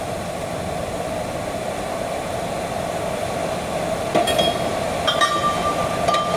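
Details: Old Miller-Matic 251 MIG welder at 21 volts and 366, welding pipe fittings: an even, continuous frying crackle with no pops or stutters and a few metal clinks late on, the wire burning smoothly; normal MIG welding arc.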